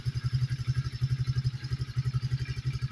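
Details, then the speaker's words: Coleman AT125EX ATV after a new intake, airbox and carburetor and a fix to a throttle cable with no slack that caused a high idle. Single cylinder thumps evenly at about four beats a second: it starts well and idles cleanly. "but I've got got it all lined out now starts good idle's good"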